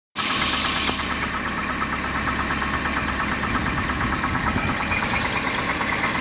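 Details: Petrol engine at idle: a steady, hollow slapping knock keeping time with engine speed; suspected piston slap, and the PCV needs servicing.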